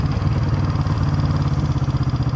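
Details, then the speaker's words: 1971 Honda CB350 twin, 6,336 miles: even idle with a light, fast clatter on each firing pulse; clattery valves suspected, to be checked and adjusted, not confirmed. "It may be a little uh clattery in the valves, which I don't mind that. Uh, but we'll we'll check them. See if we can dial them down."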